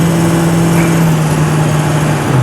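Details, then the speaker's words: 2004 Ford F-350 6.0 diesel at 190k with new injectors, new oil cooler and EGR delete, driving under throttle; steady drone drops smoothly as the automatic upshifts; shifts cleanly at about 182°F and 174°F, 650 EGT. "so you get on the throttle here you can hear it shift and whatnot"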